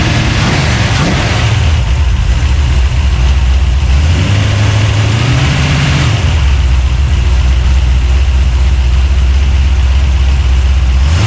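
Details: 383 stroker small-block V8, freshly built and swapped into a 1970 Monte Carlo, at first fire-up in the car: deep burble swings up and back with each throttle blip, returning smoothly; no miss, knock or rattle; healthy free revving.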